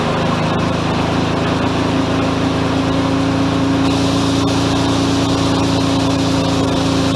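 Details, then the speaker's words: Mazda FC RX-7 rotary just fired up, idle set as low as it will go but still fast and loud with a steady buzzy drone and slight waver; high idle, owner suspects a vacuum leak. "that's about as low as i can get the idle i'm pretty sure i've still got a decent vacuum leak"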